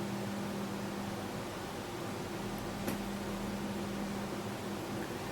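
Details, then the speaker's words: Gaming PC with case fans running: constant whooshing airflow with a low steady hum that never changes; the fans are loud. The camera's built-in compressor makes it sound louder. "This one, on the other hand, is pretty damn loud, which is a shame."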